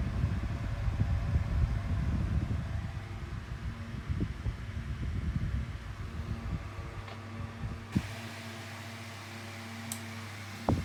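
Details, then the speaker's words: 2000s Tesco DF96 9-inch desk fan bought new in 2022, on lowest speed without oscillation: low even hum with soft airflow thumps, nothing rubbing; running normally. "so that's the lowest speed setting"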